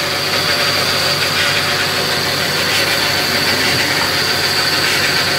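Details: Kia Cerato automatic gearbox idling with a constant high-pitched whine over a hissy background; owner reports noise and gears not engaging at the right time, a previous shop condemned the torque converter.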